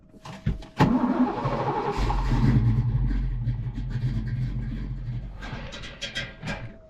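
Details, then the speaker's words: Cammed engine in a Foxbody Mustang, first start after sitting 10 years, started on brake clean: catches, then lumpy, uneven chug; misfire, not firing on all cylinders. "I can't believe it's idling. Ooh. We got it to run. It's not firing in all cylinders."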